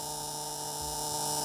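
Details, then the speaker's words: 1978 Bluebird 31 motorhome with Caterpillar 3208 diesel V8, unstarted 3–5 years, at key-on with engine off and air pressure zero: steady mid-pitched dash buzzer, which the owner thinks is probably the oil pressure warning; unconfirmed. "uh air pressure of course is zero we're not running that's probably an oil pressure buzzer"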